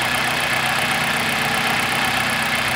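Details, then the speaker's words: 2000 Toyota Celica GT 1.8L VVT-i after adding about two quarts to the low oil: a steady, even idle with no ticking, rattle or top-end knock; the valvetrain noise is gone and the idle is normal. "i added about two quarts of oil introducing up to make a difference on the sound of the engine as you can see the engine is much smoother there's really no uh rallying noise or any uh valve trains"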